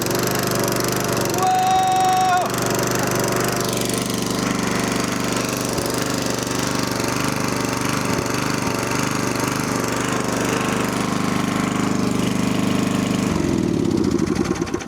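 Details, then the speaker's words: 1980s Snapper riding mower, small single-cylinder, recovered abandoned, after new battery, battery cable, wiring fix, fresh oil and gas: fires right up, thumping at a steady fast even beat until shut off and spinning down; normal running. "Put a fresh battery in it. Oil, gas, and it fired right up, man."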